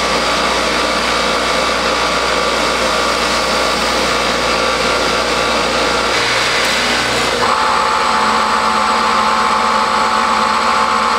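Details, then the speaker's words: Triumph Spitfire overdrive four-speed gearbox on a test stand, driven by a roughly 3,500 rpm variable-speed motor and shifted through all four gears: smooth, even whirring with clean pitch steps at each change and no grinding; synchros and gearbox healthy. "you want to listen for any sort of grinding noises that's an indication that your synchro rings aren't working appropriately but even at higher rpms we made barely any any noise at all so it's shifting smoothly"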